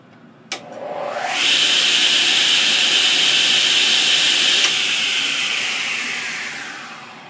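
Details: Newly assembled Delta 10-inch 36-725 table saw: winds up to smooth steady high whir, holds evenly with no wobble or rattle, passes nickel test with nickels still standing, coasts down cleanly.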